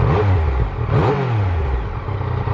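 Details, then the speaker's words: Inline-three motorcycle engine blipping its revs, with a faint whine rising and falling with engine speed over a deep exhaust; this normal whine comes from the counterbalancer shaft and its connection to the crank. "so there you have it yes the source of the wine is coming from this very shaft and the way it is connected to the crank"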